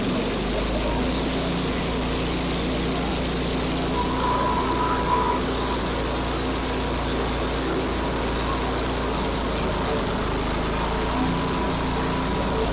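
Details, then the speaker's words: Barn-find Snapper chipper shredder, 8 hp Briggs & Stratton single, after spraying out the jets without disassembly: chugs unevenly at a ragged hunting speed on carb cleaner, running briefly on its own; the carburetor is still gummed up. "all right well that wasn't as good as I'd hoped but at least it ran under its own power for a little bit like the carburetor is still gummed up"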